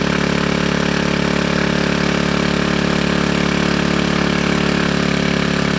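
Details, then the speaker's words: GY6 engine with a 171cc big bore kit in a Honda Ruckus, freshly rebuilt, first run after the stator-to-CDI wiring fix: a steady, even putter at a settled idle with no knocks or misses. Normal, healthy idle. "Alright, so it looks like it starts. That's awesome. It sounds good."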